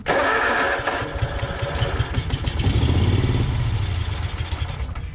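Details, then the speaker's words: Exmark Yazoo Kees ZT Max zero turn with a Kawasaki engine fires hard on a spray of carb cleaner, sputters a few seconds and dies. Fuel is not reaching the carburetor; a frozen backfire solenoid is suspected. "oh okay well I'm pretty confident of the issue now I think it's the backfire solenoid I'm not letting fuel into the carburetor"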